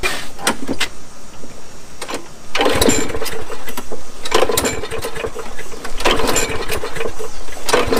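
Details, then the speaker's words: Craftsman 21-inch mower, 6.75 Briggs & Stratton, after carburettor cleaning, run without its air filter: uneven, lumpy beat with irregular surges and dips; owner suspects it is still settling after sitting out in the weather getting wet. "now you notice it sounded like it wasn't running quite right in that clip it's probably cause it's still trying to get his head straight"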